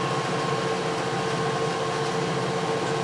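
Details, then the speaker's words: Clausing 20-inch drill press with a two-speed three-phase motor (1.5 hp high, 3/4 hp low), low speed at about 300 rpm: quiet, even hum with a soft steady tone and no knocks; runs smoothly and not noisy. "And as you can tell, it's not really that noisy."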